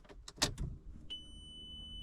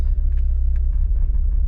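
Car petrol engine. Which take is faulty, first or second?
second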